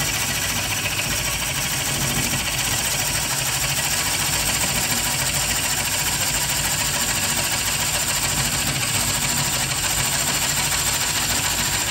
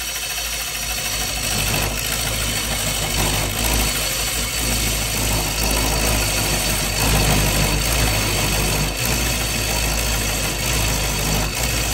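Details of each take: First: Bowl coring on a lathe with a Oneway Easy-Core, light pressure on the knife to stop bouncing: a steady even hiss of cutting over the slow lathe hum, no chatter or catches, and the shavings clear freely. A normal, smooth coring cut. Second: Bowl coring with a Oneway Easy-Core on a lathe: a steady hum with a rough chatter pulsing about four times a second; the small tenon lets the bowl vibrate and wiggle during the cut.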